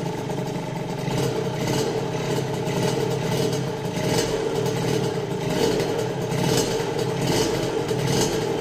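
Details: Restored Rieju RV on first start after an engine rebuild: a small engine buzzing steadily with a crisp exhaust note, revs rising and easing in waves, no knocks or rattles; running normally.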